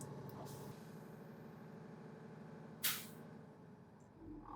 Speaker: And when it does hit that governor cutoff, you'll hear the ka-ch from the outside.